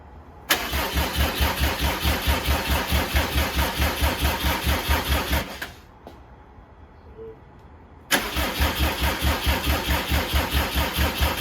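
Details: 2007 Subaru WRX swapped to STi engine, first start-up, booster pack hooked up for stronger crank: strong, even cranking about two beats a second, pause, cranking again, never fires; crank no start from incorrect crank timing.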